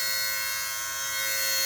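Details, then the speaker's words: 2002 Mercedes SLK230 under the hood, engine off: steady high-pitched electrical buzz traced by touch to a vibrating module, shutting off after a couple of minutes; separate secondary hum remains. "Wow, it's this module right here. I just happened to touch this and could feel it vibrating, and it's this unit right here."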